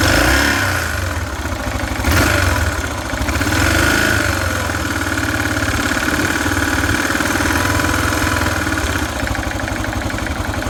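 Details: Yamaha XT 600 (43F), engine cold at idle: single cylinder thumps unevenly at roughly four beats a second, with a clattery rattle on top; cause unclear.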